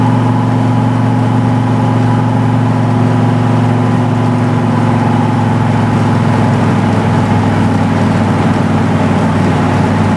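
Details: Refreshed Chevy 350 V8 with TH350 transmission and B&M shift kit, first drive out of the driveway: smooth, steady V8 hum with no knocks, misses or whine; temperature around 170–175, good oil pressure, 14 volts; healthy running.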